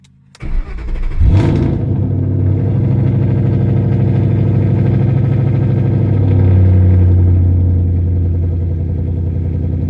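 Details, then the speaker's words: 2012 Mustang GT cold start after new plugs, coil packs, O2 sensors and MAF, codes cleared, nearly empty tank: cranks and catches cleanly, low steady idle with occasional faint stumble; slight skip, possibly low fuel, much improved. "All right. So, it's still got a little skip. Uh, you know, that could be because it's only got 19 miles to the gallon left or 19 miles to E."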